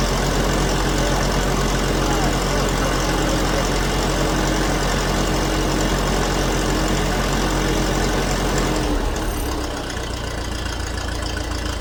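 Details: Old grey Ferguson (Fergie) tractor, first start after years sitting in a field, choke used; holds a steady even idle with consistent beat, no misses or knocks, a little smoke, running like a Swiss watch.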